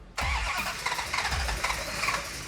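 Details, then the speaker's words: 1969 Hemi Charger replica, first start attempts after build: cranks quickly and easily with a few coughs but never fires; mechanic suspects ignition timing too retarded. "okay I think it needs more timing when you hear an engine crank so easily and it doesn't quite want to fire most likely the timing is in a position"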